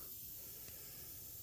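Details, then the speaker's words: Shop air compressor on '89 Suburban exhaust job, radio off: faint steady hiss of escaping air with no rhythm over a quiet shop; compressor system has an air leak, not yet fixed. "now all you hear is the uh leak on the air compressor we'll get to that"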